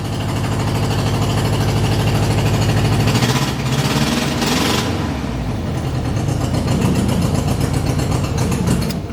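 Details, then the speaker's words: Car from a Saab-heavy collection: an uneven, loping idle with an irregular beat as if a cylinder is dropping out; a couple of old spark plugs not yet replaced are suspected. "that's a slight problem with one of the slight problem with it a couple of the spark plugs which I haven't replaced yet"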